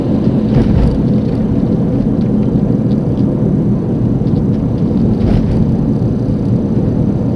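A steady low droning roar while driving, like a worn front wheel bearing humming at road speed. Cause suspected, not confirmed.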